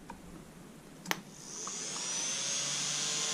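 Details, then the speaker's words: ARRMA Limitless RC car on a charged 6S battery, ESC not yet switched on: a soft click, then the voltage-regulator-powered fan spins up automatically to a steady, airy whir with no rattle or wobble; normal cooling fan. "Once I connect this, you're gonna hear the fan come on automatically, and you will see the lights in the front come on."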